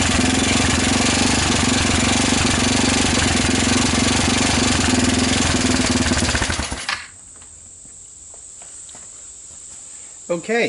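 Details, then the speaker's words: Rapidity GY6 150cc quad with a PZ27 carb, now on a proper GY6 CDI with the idle raised: revs fairly freely with a choppy, slightly uneven note, then shuts down; better but not right; the pulse generator is suspected. "seems to be running seems to rev up better but i wouldn't quite consider it perfect"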